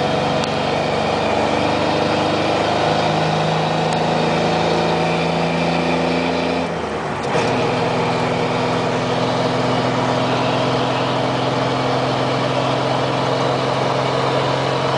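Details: 1997 Dodge Ram 1500 3.9 L V6 with Flowmaster Super 44 and no tailpipe, driving through gear changes: loud exhaust burble with uneven beat underneath; codes P0206 and P0306 indicate cylinder 6 misfire.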